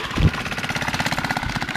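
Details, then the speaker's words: Old worn 2 hp Briggs & Stratton engine swapped into a Baja Dirt Bug in place of the China engine with a bad crank seal, straight exhaust: crisp, even popping with no knocks or misses; sounds really good. "sounds really good with that straight to exhaust yeah she goes"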